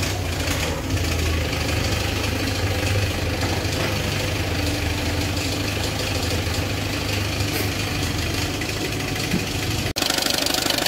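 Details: Peugeot 206 1.4 HDi diesel idling with a heavy uneven knock about three times a second, from a damaged crankshaft pulley that must be replaced before it breaks.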